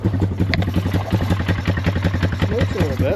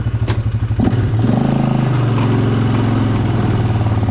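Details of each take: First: Polaris Scrambler 500 barn find, sat 10 years, running with no air filter: slow, lumpy single-cylinder putter at two to three beats per second near stalling; idle set too low, needs adjustment. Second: Barn-find Polaris Scrambler 500 ATV, revived after sitting 10 years, ridden without its front end fitted: the single-cylinder engine pulls strongly and evenly as revs climb under load, firing steadily with no knocks or misses. Runs healthy.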